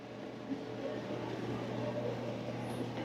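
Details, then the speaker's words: Maytag Centennial dryer on time dry, high heat, after full cleaning, roller service and fixing a rear duct rattle: low steady drum hum and soft airflow with no rattle or knocking, running smoothly. "Oh, that sounds way better. Yeah, that's good. I'll just make sure it heats like it should."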